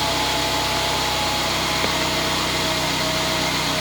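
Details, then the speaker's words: Mercedes-Benz CLA 180 donor car, about 93k mileage, whose engine is to be swapped into another CLA 180 with a blown engine, checked before removal. A steady, even idle with a light hiss on top and no knocks or misses. Normal idle. "Right, so we're just going to start it up and make sure it all starts and runs and sounds as it should before we rip it out and put it in somewhere else."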